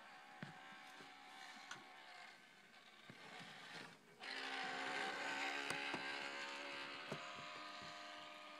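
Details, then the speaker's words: 2004 Mac PowerBook laptop hard drive: faint clicking about four times a second, then a loud rough grinding whine rises and persists, first mistaken for a bad fan; extreme hard drive spindle bearing failure. "that is an extreme hard drive bearing failure. They usually aren't that loud."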